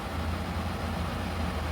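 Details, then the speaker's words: Hens portable air conditioner found discarded, after condenser cleaning (dirt was restricting heat removal): compressor starts and runs with a steady even hum and smooth fan rush, no knocking or rattling; normal compressor running. "Ahí ya arrancó el compresor, ya está trabajando el compresor muy bien."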